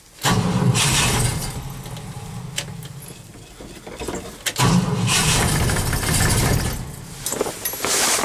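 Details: Engine cranked after an overnight low of -11 with start temperature 0: uneven bursts of cranking try to catch but never settle into a run; cold no-start, owner suspects he flooded it and is unsure of the battery.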